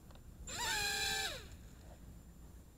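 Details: Hubsan H122D X4 Storm micro FPV drone after dirt and sand were cleared from a motor. A clean high whine rises, holds briefly and drops away smoothly with no grinding or rasp; the motors spin freely.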